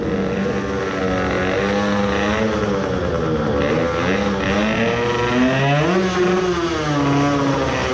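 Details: Tuned 20 hp two-stroke moped engine with filled crankcase (to raise scavenging pressure), freshly repaired water leak, revving in neutral: crisp buzz rising and falling cleanly through several blips, no misfire or stumble.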